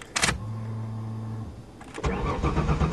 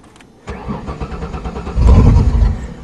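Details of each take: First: 1994 Ford Taurus wagon, fuel pump primed. The starter churns steadily at about three compressions a second but the engine never catches, because the gas tank is empty (fuel suspected stolen, cap missing). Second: 1994 Ford Taurus wagon restarted after adding fuel and priming the pump: short crank, then it catches and settles into an uneven idle with a brief rev; starts and runs.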